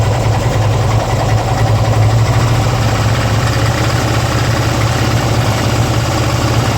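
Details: 2002 Harley-Davidson Ultra twin cam EFI V-twin at idle: loud steady rumble with added mechanical clatter throughout; strange engine noise, cause unknown.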